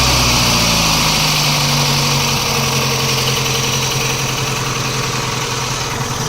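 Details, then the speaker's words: VAZ 2109 engine warm at almost 90 degrees: steady, fairly regular knock about three or four beats a second over the idle, louder when cold. Engine knock at idle; owner suspects connecting rod in cylinder 1 or 2, head ruled out. "На холодную он еще сильнее. Вот слышите? Мне кажется, это шатун где-то звенит. Скорее всего."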